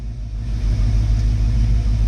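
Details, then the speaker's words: 1969 Mustang V8 cold on choke, idling about 650–700 rpm, expected to drop when warm (reached 600 earlier). Deep even low rumble, steady slow beat, no misses or knocks. Normal idle. "650 RPMs, maybe 700. After it warms up, it'll drop down a little more. I got it all the way down to 600 RPMs last night. So it runs really well, as you guys can see."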